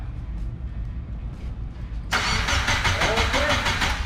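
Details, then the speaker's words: Subaru Impreza GC with swapped JDM EJ205 engine after long sitting, cranking to prime oil before first start: even, normal cranking about three turns a second with no fast spin. Compression sounds even. "sounds good hold it in until the oil light goes off yep until that light goes off"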